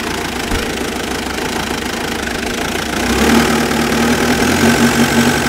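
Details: Mitsubishi Pajero starts and idles rough with a lumpy, uneven knocking pulse, smoothing once revs rise slightly with only occasional hiccups; rough idle, cause unknown.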